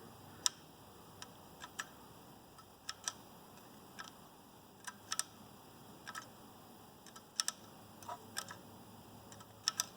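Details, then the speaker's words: Mercedes OM617 diesel during rebuild, timing chain cut off, turning the timing mechanism slowly by hand: faint irregular light ticks about once a second, like a loose weight shifting back and forth inside; silent when spun fast; cause unknown. "And it's a consistent sound. It's like it's like a weight is going back and forth, back and forth. So I don't know what that is."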